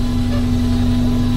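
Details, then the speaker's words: 1982 VW Westfalia with Subaru engine swap, idling, listening close to the electric fuel pump: steady mid-pitched whine over low idle rumble; noisy pump, owner suspects dirt inside; later replaced with new pump and filter. "Noisy little thing. Yeah, it makes lots [music] of noise. Not hot rain or anything like that."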